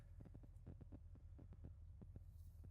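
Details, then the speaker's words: Pop's old truck, sat about 12 years, idling after belt squeal was fixed; soft, even throbbing idle with steady low pulses and no belt squeal or chirp: normal idle. "Feels good to have Pop's truck back going and not squealing with belt noise and all that stuff."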